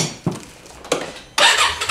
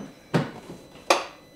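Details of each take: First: Polaris Sportsman ACE 570 ATV that would not start, now fitted with a new, bigger battery: a short crank, then it catches within about a second and settles to a steady even idle. A clean normal start. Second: 2019 Polaris Sportsman ACE 570 gives two sharp single clicks and no cranking, after earlier cranking very slowly; starter clicking without turning over, battery issue suspected, starter possibly too.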